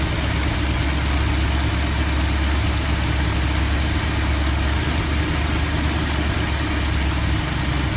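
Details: 1972 Ford F250 with 360 V8, after a Pertronix Flame Thrower II distributor install with new coil, cables and plugs and the distributor repositioned: deep, steady idle with an even, smooth beat and no misses or stumbles; normal idle.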